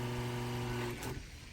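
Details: Brand-new pump on a dual blend skid after adjusting its pressure screw (2 mm Allen): steady low hum with even tone and no on-off ticking, holding pressure smoothly and running as it should.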